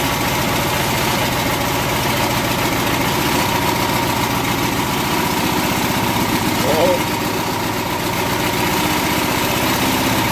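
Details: Single-cylinder mower engine still chugging on car wax in place of oil, during a 10-minute test: a fast, even beat with some rattle at steady idle; it survived, but the wax hardened inside.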